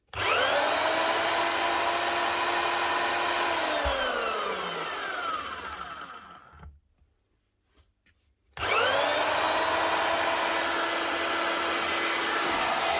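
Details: Marcrist DDM3 wet and dry diamond core drill after repair with new bearing, seals and second-hand housing, gearbox oiled: smooth high steady whine winding down evenly and restarting cleanly, no growl; normal motor run.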